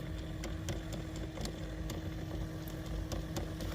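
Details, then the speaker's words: 2012 GMC Terrain (same as 2010+ Chevy Equinox), glove box removed: sharp uneven clicks behind dash over low engine idle from HVAC blend door actuator; noise stops when unplugged. "This is what control this guy right there as a actuator, your blend door."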